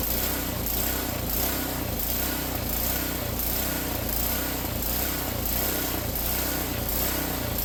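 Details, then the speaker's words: Ariens snowblower single-cylinder engine just after cleaning a dirty, ethanol-fouled carburetor: a rapid putter whose beat swells and fades every second or so, a hunting, loping idle that cleared after a minute or two of running. "I'm sure you can hear the idle is kind of loping a little bit up and down up and down up and down it's not really staying super steady"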